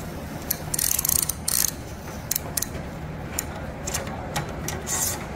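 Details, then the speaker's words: Toyota Hilux SR5 (1992–2001) handbrake lever after refitting and locking its catches: crisp, even ratchet clicks in short bursts with no grating or slipping; noise much improved, normal parking brake ratchet. "Ó escuta o escuta o barulhinho como é que melhorou escuta conhece esse barulhinho"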